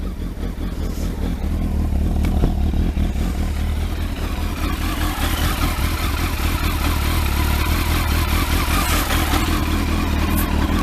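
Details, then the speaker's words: Kawasaki ZX12R first start after clutch install, freezing cold with choke on, warming up: busy but even idle with clean blips, no rattle or grind from the clutch side; sounds sweet and healthy. "it sounds sweet just that do it no noises coming from the clutch which is good"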